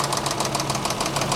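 Sharp, steady knocking at roughly seven per second over the idle, tracking engine speed; a deep internal knock, cause not pinned down. Cause suspected, not confirmed.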